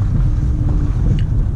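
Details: Chevrolet Lacetti automatic on a test drive after a lodged stone was pried out with a screwdriver: steady low road rumble, the severe whistle/squeal gone.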